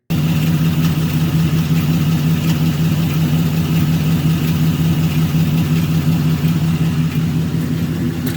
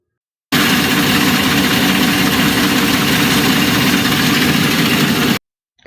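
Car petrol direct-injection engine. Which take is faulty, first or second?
second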